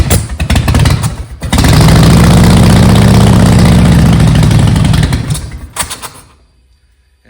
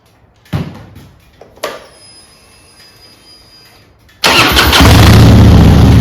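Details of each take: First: Harley-Davidson Softail after new intake seals and a timing check: it starts and lopes at about four beats a second, then coughs, chokes and dies within seconds after idling briefly. The stalling and rough idle possibly come from bad spark plug wires. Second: Harley-Davidson Softail after swapping Screaming Eagle plug wires and plugs back to old wires and Champion plugs: a few faint clicks, then the V-twin catches and settles into a strong, even idle with no misfire; ignition problem mostly fixed.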